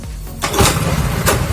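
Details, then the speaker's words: Honda Astrea 800 motorcycle stored about a year and not starting, reassembled after repair with compression now firm: short crank, catches at once and settles into a firm even putter; normal engine start. "Langsung hidup teman-teman"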